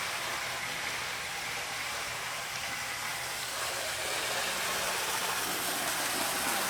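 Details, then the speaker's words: Pennsylvania 9643 model locomotive with light, second generation, at full speed drawing about 400 mA: steady even motor whir with light hiss, butter smooth, no rough spots; normal running. "Full speed. Runs butter smooth. About 400 milliamps."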